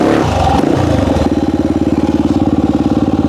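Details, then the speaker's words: 1998 Honda XR400, worn backup bike being prepped for desert racing, first run: revs rise then flatten into rapid uneven pulsing, about two beats a second, bogging as throttle opens; owner suspects lean on main jet, jetting to be checked. "y sounds like to me right when it wants to get on the main jet it's not getting enough gas but yeah really lean"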